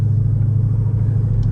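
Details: 2007 Mercedes SL55, first drive just after fitting Creative Steel Elimvibe engine mounts, which replace failed aftermarket mounts that had caused rattling at a 700 rpm idle. A smooth, steady low rumble at low speed with no rattle or knock. Normal driving.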